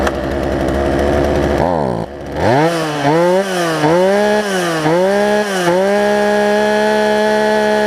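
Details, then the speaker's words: Poulan Pro 18-inch two-stroke chainsaw, warm start, after fixing a pinched carburetor fuel line and turning an adjustment screw in four or five turns: crisp revs rise and fall, then hold a steady high note without bogging; normal running. "and so as a result I think I got this thing to run pretty good so let's let's see let's see what we have here"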